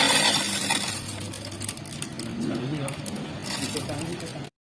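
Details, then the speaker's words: Carlton BES400FD double-blade ice shaver, 250 W, 220 V, 15000 r/min; clinking, rattling ice shifting and cracking over even motor hum; rattle is only ice moving inside, motor itself smooth, normal. "kalau dengan es batu itu hacker arah pintu itu adalah suara es batu yang sering bergeser geser yaitu ke tempat dalemannya ini atau kecolongan Iyah tuh bergeser jadi menimbulkan suara"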